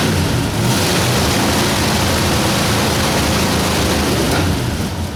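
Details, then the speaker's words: 1960 Ford F100 with 351W, running after a carburetor clean with the valve cover unbolted: steady, even idle rumble with no knocks or misses under much hiss; the oil light went off as soon as it started. "well started and ran oil light went off as soon as it started"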